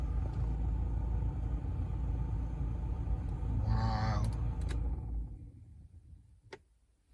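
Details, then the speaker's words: Used junkyard replacement blower motor running: loud, deep, rough rumble while on, dying away when switched off; very noisy unit, to be returned; noisy blower motor rumble. "I can just turn on here and we can hear the blow holy wow it's making a lot of noise"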